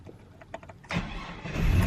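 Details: 2002 Chevy S-10 Xtreme just after replacing bank 1 sensor 1 oxygen sensor and clearing codes; a few quiet clicks, then the engine catches promptly and settles into an even idle, no check engine light: normal start.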